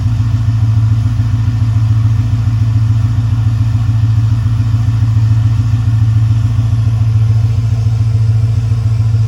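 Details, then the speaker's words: Ford F-550 6.4 Power Stroke diesel, cold start after sitting about a week and a half at 25–30°F: it fires easily and settles into a deep, steady, even idle with no misses or knocks. Normal cold start. "Starts like it's nothing."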